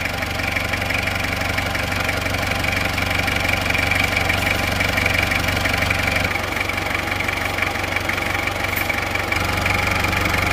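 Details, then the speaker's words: 1994 Isuzu Panther 23 diesel, freshly fitted with NPR liners and piston rings and with pump timing reset to standard: even idle clatter with a steady rhythm, no extra knocks or hunting, a normal healthy engine. "Suara yang nyata, yang real dari Panther 23 yang normal itu suaranya seperti ini."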